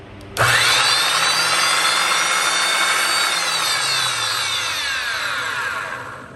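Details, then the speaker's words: Restored vintage Skilsaw Model 87 circular saw, no blade, fully oiled: motor snaps up to a smooth, high, steady whine with no grind or rattle, then coasts down slowly thanks to the oil; healthy, free-running saw. "Note how it takes a little bit longer for it to slow down now that it's fully oiled."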